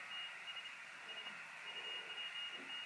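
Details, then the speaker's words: 40 m QRP CW Pixie kit, 14 V power adapter (meant 12 V): a thin steady tone near 3 kHz runs almost unbroken with no keying, the kit transmitting when not keyed; suspected defective or burned-up transistor, later smoked. "I don't think it's working ah it does well it's a solid tone maybe my wires touching no it's not"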